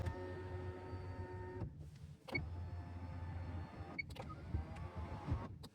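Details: 1998 Nissan Elgrand E50, 3.3 L V6 petrol, about 10,500 miles after a year of ownership: smooth, even motor hum in short bursts with clean stops, no grinding or clicking; normal power window operation.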